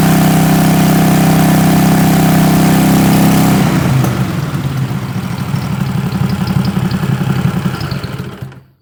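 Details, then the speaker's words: 20 HP Tecumseh twin-cylinder racing lawn mower engine with dual 34mm PVK carburetors held at 3,500 rpm mid-range: even steady beat, no hunting, then winding down; pilot jet, needle clip 3, main jet and carb sync judged correct. "At 3 and a half th000 it sounds pretty steady to me. It sounds really good."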